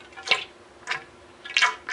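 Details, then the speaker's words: 1981 Honda CB750 front fork during rebuild, 6.5 oz Dexron III of recommended 7.1 oz, no engine running: four slurping gurgles as fork tops out, fork sucking air because oil level is low. "Now I'm going to slide the shock up, and what I'm going to do is I'm going to listen for when the fluid starts bubbling or the shock starts sucking air. Hear that? That was all the way at the top."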